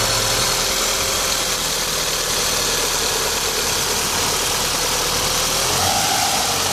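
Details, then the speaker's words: VW Golf 1.8 Turbo, 150 hp (same engine as the Audi A3), at idle. A rough, hissy clatter that fades with slight throttle and returns at idle. Source unconfirmed; the owner plans to replace the water pump, timing belt and tensioner kit. "É o mesmo motor da Audi A3 e tá com um barulho estranho."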